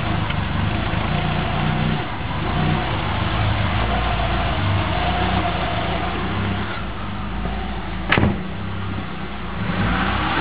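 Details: Subaru Forester rough, hunting idle that sags and recovers; mechanic cleaned the idle air control valve, mass airflow sensor and throttle body and lubricated the accelerator cable, after which the problem was solved.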